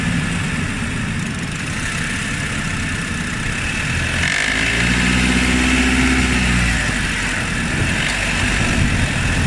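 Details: Honda Odyssey RB2 with K24 engine, driving under load at 1600-1800 rpm: rough knocking about three times a second over road noise; engine knock while driving, cause unknown.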